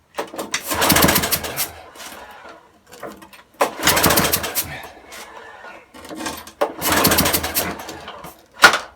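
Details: Broken spares-or-repairs petrol walk-behind mower, spark just restored by leaving ignition contact open, fuel uncertain: three pull-cord tugs, each a short rasping spin dying without firing.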